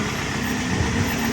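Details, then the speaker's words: Honda Click 125 scooter on take-off: rough shuddering drone with uneven low rattle and strong vibration when pulling away without hard throttle; CVT judder traced to worn flyballs. "So pag ini-start ko siya, grabe yung garalgal. Bago mandar, yung takbo niya pang parang basta hindi mo maintindihan."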